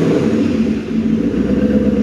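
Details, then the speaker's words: Maserati 3200 GT biturbo V8 of doubtful mechanical condition: the idle won't settle after the lightest throttle blip and the note sags and stumbles before recovering; suspected not running on all eight cylinders. "chúng ta nghe thấy rằng sau Khi nhấn ga nhẹ nhất, xe không tải khó ổn định"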